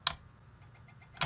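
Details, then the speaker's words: SLO clone tube guitar amp being debugged, last preamp tube inserted: two sharp, bright chirps about a second apart over a quiet hum, drawing about 14-40 mA; power transformer wired out of phase, fix is reversing its phasing. "okay remember what I told you about phasing of the power transformer a don't tell me my power Transformers is out to phase"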